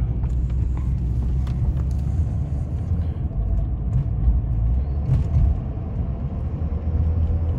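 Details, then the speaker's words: Audi A4 2.0 TFSI direct-injected, driving on about 15:1 fuel-to-used-oil mix: low, heavy rumble surging and sagging, choppy in and out with power loss and sketchy rpm, still on all four; misfire from oil-contaminated fuel, EPC light came on. "sketchy let's get this rig home i mean it's still running on all four it's just it in and out it gets real choppy"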